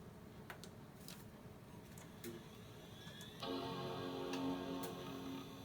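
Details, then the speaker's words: iMac G3 Snow, bought with a display issue: faint clicks then a clear sustained startup chord, a little thin because one speaker is removed; normal startup chime, it works. "It's kind of funny because it's only coming out because the sound is only coming out 1 speaker because the other one's been taken out, and it sounds kind of funny only coming out from 1 speaker, and it works."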